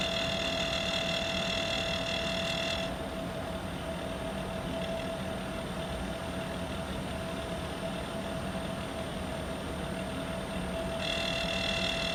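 Steady fan rush with a constant tonal hum and a high ringing whine that drops out then returns: an outdoor unit making an abnormal noise.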